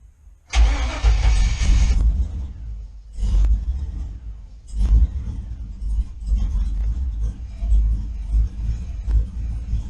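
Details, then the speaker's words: GM engine with Fitech intake on HP Tuners, startup logging after repeated stalls: short crank with a throttle blip before it fires, then an uneven, lumpy idle surging while settling; hard start needing throttle. "Um, I'm trying to figure out here if it'll start without giving it gas."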